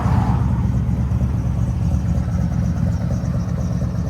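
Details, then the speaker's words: 1968 first-gen Camaro idling after fitting a new battery (dead battery, possible alternator issue suspected): deep, steady low rumble with an even beat, no knocks, misses or squeals; healthy idle. "Oh yeah, that sounds good and strong. Right on the money, buddy. Perfect. All right. Perfect. All right, she's running."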